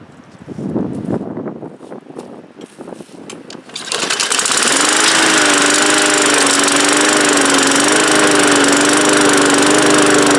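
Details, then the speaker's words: Discarded Bolens lawn mower with Briggs engine after quick carburetor repair, run briefly without air filter and cover: a few rattling pulls, then catches on first pull and runs steadily with no misses or surging; runs okay. "Still runs okay. It starts now on the first pull, and didn't sound like fabulous, but sounded good enough, and probably just hasn't run in a while."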